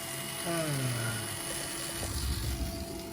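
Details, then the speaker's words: 1976 Bachmann N&W U36B pancake motor on tester at 6 volts drawing about half an amp after teardown, clean and relube; whines up to a steady buzzing hum with faint rattle, a bit stiff, needs breaking in. "Oh, that's sweet sweet sound of a pancake motor."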